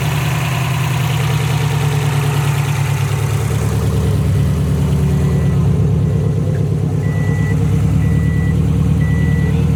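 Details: Subaru STI idling after both AVCS sensors were replaced to fix an AVCS fault; steady, even low idle, no knocks or misses, chime beeping faintly in background; engine healthy.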